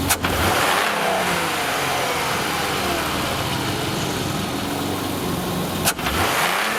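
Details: Engine revs rise and fall with a rough, uneven note and loose rattle from worn intake shifter rod bushings plus a vacuum leak at the green shifter rod gasket; replacing the bushings and gasket fixed it.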